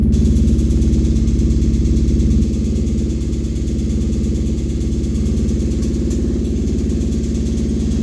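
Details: Kawasaki Brute Force 750 V-twin at steady idle: faint uneven ticking rattle riding on the firing beat, noise comes and goes; teardown found a blown crankshaft bearing.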